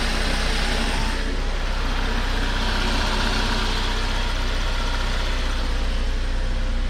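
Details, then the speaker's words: VW MK5 Golf 1.4 TSI twincharger after water pump and supercharger clutch replacement, at first startup after coolant refill with the check engine light on: smooth, even idle with a steady low hum and no squeal, chirp or knock. Normal idle. "sounds good"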